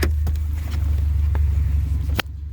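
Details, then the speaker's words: Used 2005 Subaru Forester at startup idle: engine catches and settles into heavy, loud low drone with a few clicks; owner notes it's a little loud, cause unclear. "So you can hear, yeah, a little loud. But, you know, we'll get to it when we get"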